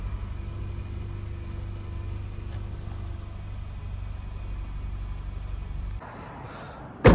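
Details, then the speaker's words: 2004 Toyota Echo with no-start from a suspected fusible link fault, starter positive terminal fed directly from a booster pack: fires up and settles into a steady, even idle with no stumbles; normal start. "got power applied to that and now starts up just fine"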